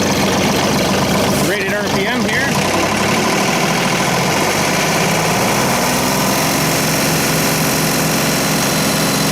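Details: Wood chipper engine after servicing, bolts retightened: steady even note at constant rated speed after start-up blip, no knocks or misses; runs healthy, large flywheel keeps spinning long at shutdown.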